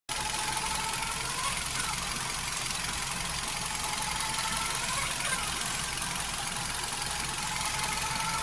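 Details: Hyundai HB20 engine at idle: steady idle with a faint high whine and light irregular ticking; owner wonders about the timing belt, power steering fluid or a bearing; source unclear.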